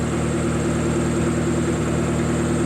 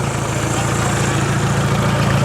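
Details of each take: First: Car that would not start, after a blown ignition coil fuse under the dash was found and fixed; compression was about 125–130. Smooth, even idle with a steady low hum and no misses, knocks or stumbles; engine running healthy. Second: Choppy, misfire-like petrol idle after a fresh start, temperature good and not overheating, because the exhaust is not bolted up and hangs loose underneath.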